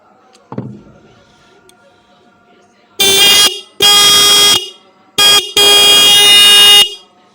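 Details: Bike/car horn: four firm, clear blasts about a second each, steady tone, no rattle or buzz; horn working.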